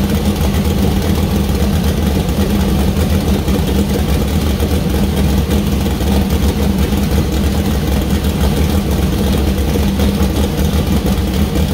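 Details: First start of freshly built 2000+HP LS V8 (Dart LS Next block, 4in stroke crank, Brodix BR3 heads, .750 lift solid roller cam): deep even lope at idle, clean pickup on revs, no knocks; healthy, minor oil and water leaks found.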